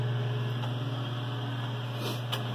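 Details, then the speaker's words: Mr Heater Big Maxx natural gas heater: thermostat calls for heat, fan runs non-stop with steady hum but the burner never lights, and the LED shows three slow green blinks; pressure sensor/switch fault, no ignition. "you'll probably end up hating this issue at some point where your thermostats call in for heat and the fans running non-stop but there's no need"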